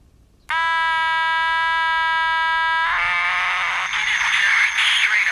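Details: Houthitone transistor radio after replacing capacitors (open AVC capacitor suspected): switching on gives a harsh steady buzz turning to raspy crackle. The audio stage distorts and motorboats.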